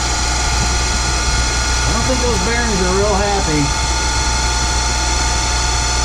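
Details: Boyar Schultz Challenger surface grinder, motor refitted and spun up: steady hum with a rough whirr; the motor sounds fine and the noise is suspected to be unhappy spindle bearings.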